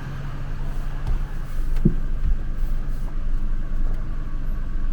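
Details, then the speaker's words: Gen 10 Ford F-150 with a 4.2 L V6, after a smoke test found and fixed a vacuum leak that had caused a rough idle: a steady, even low hum with no stumble or hunting; smooth idle. "I'm going to crank it up here in a second see if it runs any better man it's running smooth as silk now there is zero rough idle"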